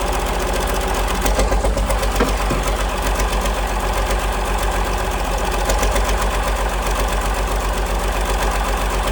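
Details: 1947 Cletrac FDE diesel crawler, first start after sitting many years, injection pump freed, fresh fuel; deep even chuff about four beats a second, steady and unbroken, despite water leak and missing fan belt; normal diesel idle.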